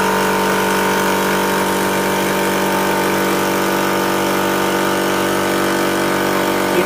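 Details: Electric PCP air compressor filling toward about 2000 PSI, its on/off switch held pressed at startup. A steady, even buzzing hum with a fast pump pulse and no knocks or rattles: normal running.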